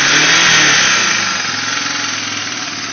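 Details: 1989 Honda Fourtrax 300, first start during a frame-up restoration: the single-cylinder engine comes off a rev and settles evenly with no knocks or rattles, sounding healthy and steady.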